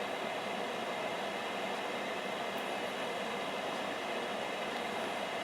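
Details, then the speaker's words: Veterok-2 (Spectr-Pribor ESOF-0.6/220) vegetable dryer fan running with the heating element off, blowing cold air: steady, even airy whoosh like a car fan, no knocks, rattles or whine. Normal fan running. "For me, this is about the noise of a working air conditioner, well, or like a fan in a car when you turn it on. This is about the same level of noise."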